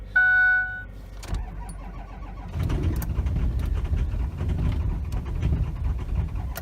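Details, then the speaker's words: Ford F350 6.0L Powerstroke diesel before injector replacement, cold start at −22°C with weak batteries: long labouring crank before it catches, runs rough and uneven, stalls when the pedal is released; hard cold start and poor idle from worn injectors. "she's gonna take a little bit to fire over try again here so you can see how hard it is to start"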